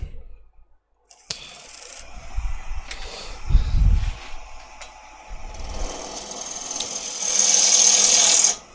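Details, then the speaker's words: Wood lathe turning a piece: fast rattling buzz of about four beats a second while cutting, rising to a hiss. The tool is chattering because the tool rest is set too low. "should have stopped it and just moved the tool rest up a little tiny bit I could hear it chattering but rather than moving it I just left it where it was"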